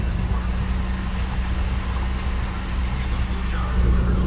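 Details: 2006 Nissan Murano after A/C clutch no-engage repair (new 10 A fuse, IPM reinstalled, connectors rehooked, no parts needed): steady low engine hum with even compressor drone, no clicking or cycling; A/C running normally.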